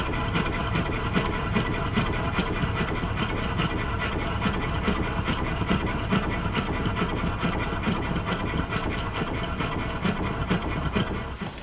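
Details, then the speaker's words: Well-built triple expansion model steam engine used as a comparison: even steady beat of about two exhaust pulses a second, no knocks or clatter, sounds entirely different and runs beautifully; normal running. "This is the engine built by Ronnie Mall. It sounds entirely different and runs beautifully."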